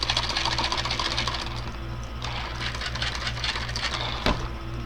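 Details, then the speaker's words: RC modified Clod monster truck gear test: even steady electric whir and smooth gear buzz, no knocking or grinding, only a little squeak on the right side; gearboxes healthy. "good. Sounds good, other than a little squeak on the right side, but it's alright to me."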